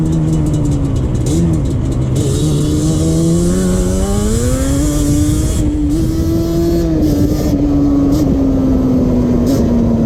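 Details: 2001 Yamaha Banshee 350 two-stroke cruising on a POV ride with early shifts, after new clamps fixed an exhaust leak. Crisp wail rises and falls cleanly with each rev and shift, no ticking or puffing; sealed, normal exhaust.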